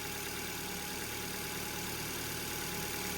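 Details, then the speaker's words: Ford Fiesta with a cylinder 4 misfire code and a reported judder: at idle, a constant airy hiss and a thin steady whine ride over the engine. The alternator bearing is suspected, not an air leak. "I think that um alternator bearing is um is spinning and it's uh it's that's the noise you can hear"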